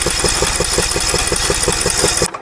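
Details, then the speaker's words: John Deere mower/tractor engine that lost power, smoked and ran with no oil, tested through the spark plug hole with a leak-down tester: even, quick cranking pulses with little resistance, reaching only 40 psi; low compression, the engine is shot. "I'm only getting to 40 psi. That's a shame. So the engine is shot."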